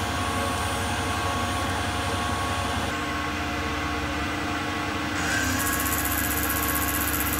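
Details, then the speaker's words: CNC milling with a fairly dull end mill in 1 mm step-downs: steady low-pitched rumble with an uneven rattle through the cut, heavy chatter and chip load from the dull tool. "I think it's because it's a fairly dull tool. But you can sort of hear that, I don't know, low-pitched rumble with like a rattling sound, and that's a pretty heavy chip load, that's what that sounds like,"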